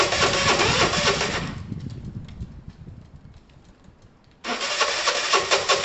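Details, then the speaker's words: Dumped Piaggio Typhoon 125 scooter, first start attempt after only a spark plug change, engine very dry on oil: fires briefly, dies for about three seconds, catches again, won't keep running, took 20 minutes to start; hard start, intermittent firing. "it's practically practically starving come on [Music] marry tom help me took 20 minutes to start"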